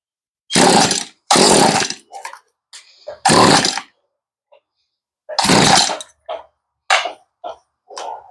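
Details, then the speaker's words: Stihl string trimmer after a fuel-line and carb rebuild and carb adjustment, with a loose coil wire found: short crisp revs that pick up cleanly and drop back with no stumble or bogging; normal running. "oh I see we got a line off of the [Music] coil and she wasn't turning off because there was a line missing from the coil so she sounds pretty"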